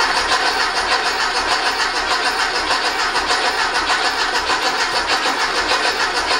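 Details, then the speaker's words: Rebuilt 1835cc air-cooled VW flat-four bus engine, first start attempt, fuel and good oil pressure present: steady starter churning with no firing; cranks but won't start, no spark found. "Fire at least kicks over. Well, we got fuel. Wonder if we have sparkage. No spark."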